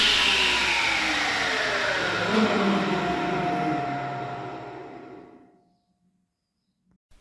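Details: Ulmia 1610 table saw, bought old, coasting down with a rough, hissy rumble and falling tones: the rolling bearings of the saw shaft and electric motor have run dry and were replaced in the overhaul.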